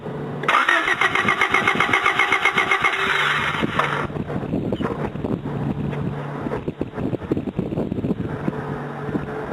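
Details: Honda Del Sol cranking, no start the morning after being driven, after ICM, rotor and distributor cap replaced, good fuel pressure: steady rhythmic starter churn that never catches; weak intermittent spark, coil bad though it ohmed OK.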